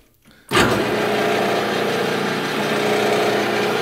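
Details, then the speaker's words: Grizzly G0709 lathe drive motor at spindle speed about 190 rpm, later 300: steady rough drone with a nagging mid-pitched hum, slightly quieter in reverse. Abnormal motor rumble returning, as before the first motor was replaced. "my g0709 starting to make a lot more engine noise like it uh was doing a little bit prior to the replacement of the first engine so i'm just gonna record this so that you can see"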